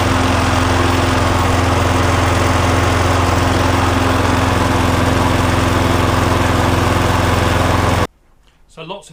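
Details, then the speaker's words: Viking lawnmower after blade boss repair with two bolts, crank found not bent, oil slightly overfilled: steady even thump about three beats a second, no misses or knocks, then shuts off; no longer vibrating, running normally. "but it's certainly not vibrating like it was. That's a certainty."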